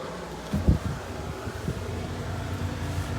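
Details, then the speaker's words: 120 VAC refrigerator evaporator fan motor (Electrolux/Frigidaire-type, reversible) running on diagnostic test three after replacement: quiet steady low hum with soft rush of air through the baffle, no scraping or ticking; normal fan operation. "and look at that nice solid airf flow coming up and it's coming out through the baffle right here"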